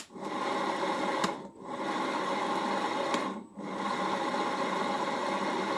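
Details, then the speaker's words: 1HP three-phase motor for Bridgeport mill, apparently wired for low voltage, first run on VFD at variable speed in forward, before bearing replacement: steady rough whirring hum with gritty rasping edge; works electrically but bearings worn. "so on first inspection, other than the bearings, appears electrically it's working."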